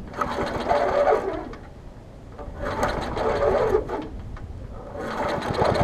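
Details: Old Murray 22-inch push mower with transplanted ~3.5 hp Briggs & Stratton, first start after years unused, new muffler: engine surging up and down every couple of seconds, uneven beat, hunting; smoky, burning off.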